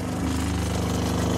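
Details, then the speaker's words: RV water pump, replaced last summer, running with the fresh water tank empty after about two days on the empty light: fast, rough pulsing motor chatter with an uneven gurgling edge as it sucks air. Pump running dry. "let me show you what it looks like it sounds like when I'm out of water so I leave the can you hear it you're gurgling"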